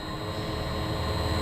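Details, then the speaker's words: Gorman-Rupp T3 pump with a 5.5 kW motor and Eradicator system, recirculating water from a tank on a demonstration unit, at start-up: steady motor hum under an even, rushing churn with no grinding or rattle; the pump primes normally. "Okay, as you can see, the pump has started to prime."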